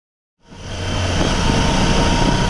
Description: Whining sound Tiger 800 XCx (2015), 4. gear ca. 3.5-4.2k rpm, when gently going on the gas.